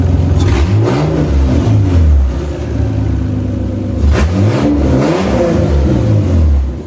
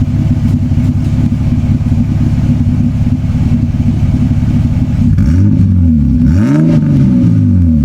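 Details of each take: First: Toyota Cressida MX83 on a new temporary exhaust, cold start: pitch wavers through throttle blips and settles unevenly into a rough idle with good oil pressure; owner suspects distributor adjustment is needed. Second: Toyota Cressida MX83, new temporary exhaust (before a planned turbo-back system) heard from the rear at the tailpipe: smooth deep idle with clean rises and falls on throttle blips; a quiet, healthy exhaust.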